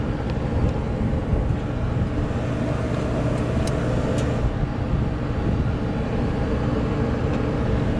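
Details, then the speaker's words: Trane rooftop unit fan in forced cooling via jumped test pins: steady even whoosh and low hum, no rubbing or scraping; normal fan motor. "now if it was picking up on the video that noise but it sounds like a regular old fan motor"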